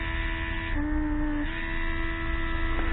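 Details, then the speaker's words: 2005 Mercedes W463 G500, driver's multicontour seat air pump. The small electric pump hums steadily with a brief pitch dip, switching on and off by itself without any command. The owner suspects it is triggered by a pressure drop. "this is signaled it's got to be signaled by a drop in pressure it's coming on and going off on its own"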